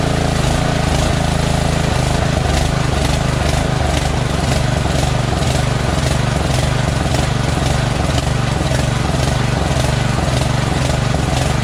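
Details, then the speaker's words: Push mower, recently cleaned oil-saturated air filter: engine note swells and sags about twice a second, never settling; runs well only with choke flap almost closed, so carburetor is dirty with a blocked passage causing lean surging at idle. "so it runs good when the choke flap is almost closed which means that they're this carburetor is dirty and one of the holes are uh are blocked up"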